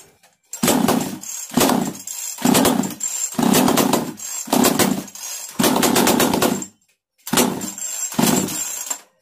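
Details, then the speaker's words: Chainsaw after tightening a plate screw, being pull-started: repeated pull bursts with brief pops and sputters that never pick up; the engine catches but won't start. "हमारा starting का moment बना रहा है but हमारा जो machine है वह straight नहीं हो रहा है"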